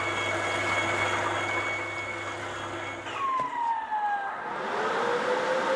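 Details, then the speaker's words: Audio Desk Systeme record cleaning machine after repair and sensor replacement, record rotating: steady hum under thin whistling tones sliding down and up, no grinding or rattle; normal cleaning cycle. "So right now, it is in a cleaning stage, and we're going to kind of just let it do its thing."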